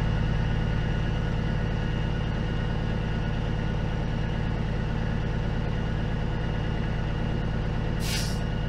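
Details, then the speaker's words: Peterbilt 379 diesel at idle building air pressure to 120 psi governor cut-out: steady low idle, then one sharp hissing pop as the air dryer purges; normal. "we'll let it get to 120. I'm going to open a door again and you'll hear it pop you here is the hair dryer popping"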